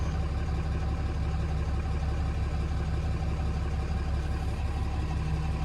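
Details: 2016 Ram 2500 diesel, first start after installing a new Fleece Cheetah turbo and oil drain and feed lines (OEM turbo actuator was faulty), codes cleared: steady, even low idle, oil pressure came up immediately, no knocks, whistles or misses; healthy.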